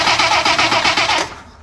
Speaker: didn't want to start so let's crank it over and see what it does